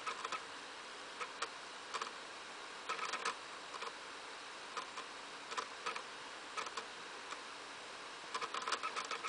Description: Wii making rattling noise while loading from a game disc